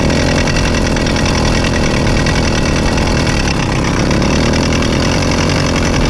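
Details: Rebuilt Zeda Triple 40 motorized-bike engine, first start after rebuild and fitting a new woodruff key in the clutch: a harsh, rattly grind over the whole running engine, louder than before the rebuild; owner suspects the clutch assembly.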